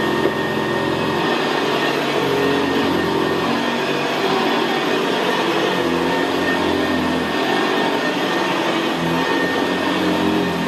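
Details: 1975 Hoover Senior Ranger U4002 vintage upright vacuum on carpet: steady, even motor sound with a low gravelly brushroll growl, no knocks or squeals, more audible where carpet is squashed down. Normal, healthy running.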